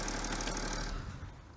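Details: BMW E60/E61 530d diesel after replacing the alternator: steady low idle rumble ending in a brief thud, with no whine. The earlier whining came from an internal alternator fault even though its front bearing felt okay. Normal idle, no whine.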